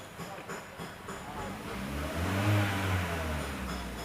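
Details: 2015 Hyundai Creta petrol that had cylinder 3 misfire (P0303) and a flashing check-engine light. After the fault codes are cleared, the idle is even and steady with one smooth rev rise and no stumble or miss. Cylinder 3 misfire counter now zero; normal running.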